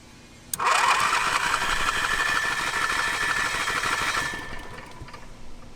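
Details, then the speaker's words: Auction RV generator on weak batteries, with a fuel pump line feeding the carb: steady fast cranking for about four seconds that never catches, and it won't prime; the cause is not confirmed. "all right you ready let's prime it okay doesn't want to prime"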